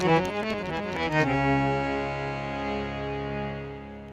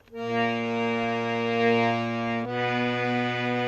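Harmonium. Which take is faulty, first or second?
second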